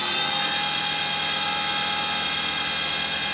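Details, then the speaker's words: Boxford mini CNC lathe under restoration, Mach3 control, spindle commanded to 4,000 rpm: steady high-pitched whine holding one speed without grinding or surging; spindle runs normally, though a spindle control issue remains to resolve. "so let's type in 4,000 okay and then we'll start spindle you might just go to here and you can see the spindle spinning up there just in the corner of the shop you can certainly hear"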